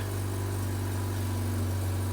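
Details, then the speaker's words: Mazda RX-8 rotary, cold after sitting, after ignition coil replacement for P0300 cylinder 1 misfire; steady, even low hum at 2,000 rpm slowly dropping, no stumbles or skips. Smooth idle, no misfire heard. "guys rpms are at 2000 and they're slowly dropping i don't know if this is too soon to say but this sounds smooth like this sounds like very smooth idle"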